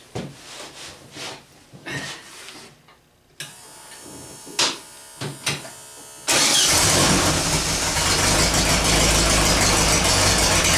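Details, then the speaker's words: VW after transmission work over three days: several cranking bursts, then the engine runs loud and even; it shifts through all four forward gears and reverse with no crunch or grind. "well it shifts through all four forward gears in Reverse works either side doesn't crunch doesn't grind"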